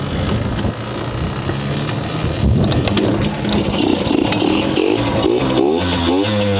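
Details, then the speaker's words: Yamaha YSR50 two-stroke after crank seals and full engine reseal to fix an air leak, gas tank rattle fixed, new clutch, gear oil added: crisp buzz revving up and dropping cleanly, no hesitation; normal running. "we now have the ysr50 running and this is surprising I probably should have made sure the brakes work good before I dude it runs [Music] good"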